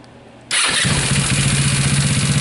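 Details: Scooter with an aftermarket alarm remote start that wouldn't start it; the fault was a taillight connector not completing the circuit. Starter switch in the on position. Starter catches at once and the engine settles into an even, steady putter: clean start and normal idle.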